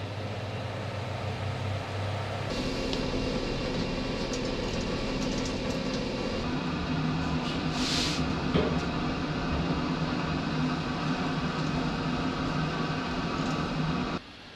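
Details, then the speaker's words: Pellet stove just restarted after cleaning flue, burn chamber and sensor (previously cut out after about 5 minutes): even, steady fan whoosh with low hum, no rattles, scraping or surging; running normally. "okay so the pallet stove is now up and running beautiful and clean"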